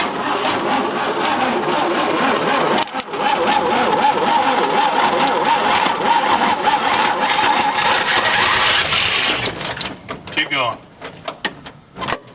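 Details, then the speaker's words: 1959 Apache truck that sat over 40 years, being started with throttle held to the floor and fuel poured in: long, fast, uneven cranking with a thin squeal, no start. Owner thinks a constant flow of gas might make it run. "but it just ain't gonna do it well i think it might do it with uh maybe some you had some constant flow of gas to it"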